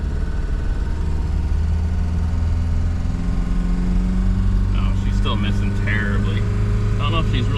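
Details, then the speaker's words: 1994 Toyota pickup 22RE, 251,000 miles, after new exhaust header gasket and valve adjustment: uneven drone stumbling under acceleration, misfiring then gaining power; owner suspects clogged fuel filter, last changed at 214,000 miles. "really missing. Oh, there we go. There's the power. I think it's fuel filter related."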